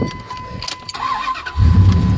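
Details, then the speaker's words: 2001 Dodge Ram 1500 after sitting about 18 months, quick crank then steady even idle at 700 rpm with no hunting or stalling, after an idle fix; owner suspects a bad valve causes occasional cold-start idle trouble. "so uh yeah see now it idles just fine it idles that oh oh battle now at 700 rpm and that's good"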